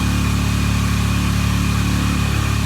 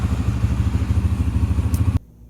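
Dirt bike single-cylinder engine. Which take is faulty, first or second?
first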